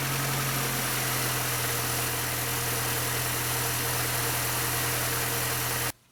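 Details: 2006 first-generation Mini Cooper S idling after an oil change with Pennzoil Euro L 5W30 and Mann filter: smooth even idle, steady low hum, no knocks or ticks, then shut off; normal idle.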